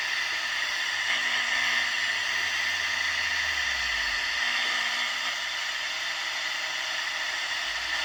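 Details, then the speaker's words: Unitra Eltra Alicja R-701 radio on FM (UKF) band with a wire antenna, tried on both presets: steady loud hiss with no station or voice; no FM reception. "tak niestety zakres UKF nie daje oznak spróbujmy na pierwszym programatorze"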